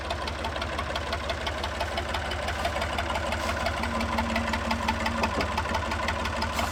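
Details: Massey 2500 forklift with a Perkins AD3 152 diesel, sat for many years, quit, suspected fuel issue, now restarted. Steady, even diesel clatter at idle, loud through an open exhaust, with no missing beats; it runs good.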